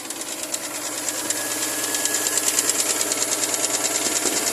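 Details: Chevrolet Lumina APV 3.1 V6 cold-engine idle with sharp regular ticking knock about three per second, growing slightly louder; cause not pinned down.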